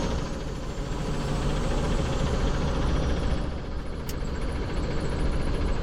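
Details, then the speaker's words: Dodge Ram 3500 with NV4500 manual transmission, driving in fifth gear: heavy drivetrain rumble with uneven rapid knocking, worsening over time; knock also in first to third, not fourth (direct drive), so suspected countershaft fault, unconfirmed. "It sounds pretty bad, and it's gotten progressively worse as I keep driving it. I probably shouldn't be driving it much more."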